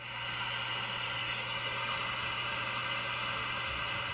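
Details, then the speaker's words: 1956-era radio after repair, antenna section alignment with signal generator off, volume up: steady loud even hiss with faint low hum, peaking as the trimmer is tuned for maximum noise; alignment correct. "the antenna portion you can just tune for maximum static or maximum noise so I'll turn the signal generator off and I'll turn the volume up and I'll give you an example"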